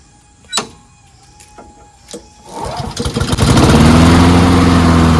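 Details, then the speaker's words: Free old Honda self-propelled lawnmower: a few clunks, then the small engine fires and settles into a steady even run. The drive engages but the wheels don't spin; wheel and transmission gears look fine, so a broken transmission is suspected, not confirmed. "Okay, so I think the transmission's busted because even though it engages, it just doesn't spin, nor does it"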